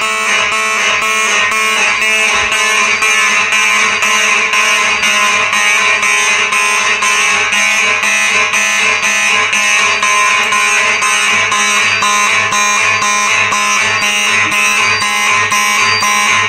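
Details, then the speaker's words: Simplex 4903-9105/9101 electromechanical fire alarm horns on a Simplex 4004 panel, set to march time: loud buzzing horns pulse on and off evenly about twice a second, horns working properly. "i'll tell you what that sounds pretty good on march time second thing with these electric mechanical horns you know every time you have these on march time they sound pretty good yeah it's kind of a beat to it"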